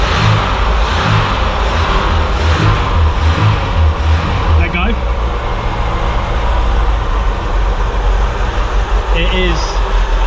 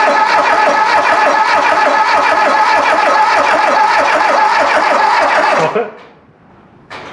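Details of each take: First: Volvo 340 abandoned 25 years, first start on full choke, no oil pressure yet: a few uneven revs, then a steady, low, even idle; running fine. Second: Volvo 340 abandoned 25 years, cranked during crankshaft position sensor test (about 60 millivolts signal, no resistance measured): even starter cranking, about three and a half beats a second for nearly six seconds, never catches.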